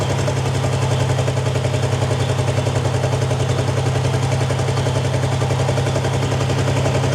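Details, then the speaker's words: Long-abandoned 1952 Ford Crestline idles lumpy and stumbling, seemingly missing cylinders; owner suspects a bigger vacuum leak, possibly the wiper line; engine misfire. "there's a good chance it might be an even bigger vacuum leak than I think so I don't know if it's tied in inside the car or not a little thirsty"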